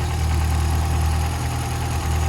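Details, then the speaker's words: Ford Escort RS Turbo Series 2, warmed up: deep, heavy idle with a slight uneven lope, the cammy beat of an aggressive camshaft; sounds nice. "and thus it does sound you can hear it's cammy but it does sound nice"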